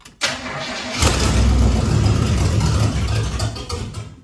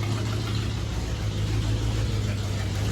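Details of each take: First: Chevrolet Blazer with new mufflers started up, cranking and settling into a loud, raw puffing idle from a big exhaust leak at the front near the manifold. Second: Chevrolet Blazer after exhaust leak repair with RTV and idle lowered: a low steady rumble at idle, exhaust louder than expected from these mufflers but quiet at the front with no ticking or puffing; engine runs normally.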